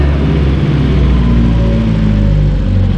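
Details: Freshly sprayed Triumph Herald, long stored, started after standing: deep even rumble with smooth steady firing, no knocks or misses; engine runs sweetly, though the choke was pushed in too soon.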